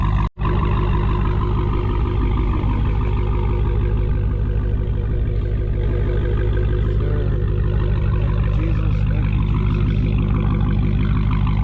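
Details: Dodge Challenger Hellcat with mid mufflers deleted, recorded from outside after an exhaust shop fixed a rattle/shake: deep steady V8 burble with even low pulse, no rattle; normal exhaust note after repair.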